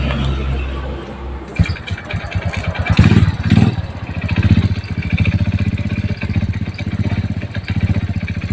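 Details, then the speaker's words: Yamaha Jupiter Z engine running: quick, steady metallic klotok clatter like a con-rod knock, present at both low and high rpm. The cause is the centrifugal clutch shoes striking the clutch bell. "Kalau dia dihidupi, Mas Bro, dia bunyi klek klek klek klek klek seperti itu, Mas Bro, ya. Mau di stansioner rendah atau di stansioner yang RPM tinggi itu bunyinya kelotok ya, Mas Bro ya."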